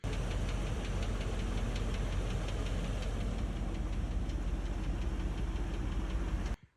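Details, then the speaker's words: 2003 Land Rover Discovery 2 engine idling with a light, sharp tick nearly three a second; ticking went away with Marvel Mystery Oil but returned about 1,000 miles after regular oil, suspected worn camshaft bearings. "After I put regular oil back in without an additive and ran it for about 1,000 miles, the ticking came back."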